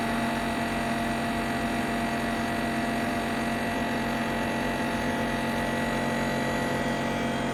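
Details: Ninja Foodi 8-in-1 running cold in this recording (owner says the unbearable noise comes after warming up): steady loud whirring hum at constant pitch, no knocks; louder than it should be, cause not pinned down.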